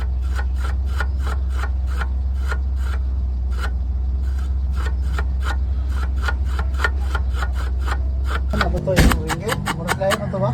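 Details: Ford Ranger 3.2 diesel running: sharp scraping tick about three times a second over the steady diesel drone; grinding from flexplate problem.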